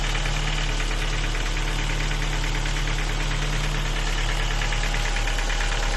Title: Ford Focus 2 1.6 engine knocking. Sound of broken piston pins.